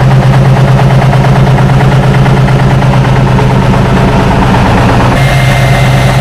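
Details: 1976 Tatra 813 air-cooled V12 truck, restored after 20 years unused with new hoses, seals, oils and filters: deep steady rumble, firing even and unbroken throughout; normal healthy idle.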